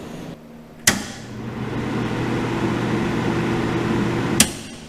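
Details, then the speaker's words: Century 250 MIG welder cooling fan motor before bearing replacement: after a click, a steady low hum with a rough, gritty whirr on top runs evenly until switch-off; worn fan motor bearing. "If you guys don't remember what it sounded like before, listen to this. Don't mind my welder. Getting a little old and cranky."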